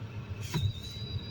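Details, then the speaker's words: Kia Rio/Hyundai Solaris heater blower on speed two. A thin, steady high whistle over the soft blower rumble from air leaking through a gap around the poorly sealed cabin filter; sealing the filter edges reduced it. "он получается вот так свистит вытаскиваешь где-то щель какая-то Опять вытаскиваешь"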